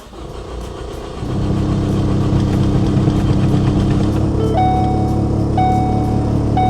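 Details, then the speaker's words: Ford Focus ST started after sitting about a year: starter churns steadily about four beats a second with warning chimes, engine never catches; crank-no-start, code P00C6 fuel rail pressure too low afterward, cause not confirmed. "No way. Why doesn't it want to start?"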